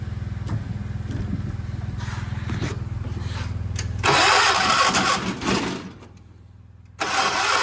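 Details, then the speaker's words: 1976 John Deere 300 hard start; starter grinds slowly with uneven chugging, then harsh whirring bursts and a pause, not turning the engine properly; owner suspects weak battery, failing starter or flywheel problem, unconfirmed. "Okay. Come on. I don't think my battery's strong enough. I just don't think the battery's stro"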